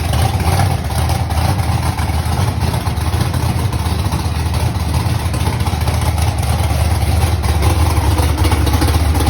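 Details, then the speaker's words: Ford Mustang V8 first start after months sitting following a fire: low lumpy idle with uneven beat and clatter on top, as if not firing on all cylinders; cause unconfirmed. "kind of sounded like it wasn't hitting on all cylinders."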